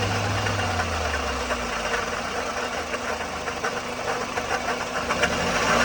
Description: 1ZZ-FE in '04 Toyota Matrix XR 5-speed manual with engine noise/rattle. 174,400mi, noticed issue ~1500mi prior.